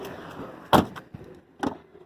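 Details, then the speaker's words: 2001 Camaro SS LS1, nearly 20 years old, door after greasing squeaky hinges: door swings and latches with clean thud, no squeak or creak; hinge now quiet. "we go that's what I'm talking about squeak free just because you old does not mean you need to be creaky keep yourself"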